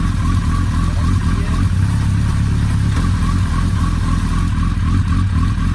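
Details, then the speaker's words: Suzuki Hayabusa after disassembly to trace a loud worrying engine noise: steady, even engine drone at constant speed with no odd clutch-side noise. Clunks heard are normal driveline lash at the rear. Road test to follow. "voilà on a passé la vitesse est là un voyage à l'air de mieux fonctionner sans bruit bizarre le club vous entendez ce assez c'est normal c'est les à coups de toute la transmission à l'arrière"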